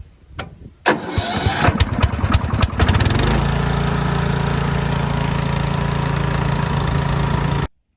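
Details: Huskee 42-inch riding lawn mower with a no-click no-start, after replacing the blown fuse: starter cranks briefly, engine catches and settles into a steady, even idle before shutoff. Healthy start, fixed.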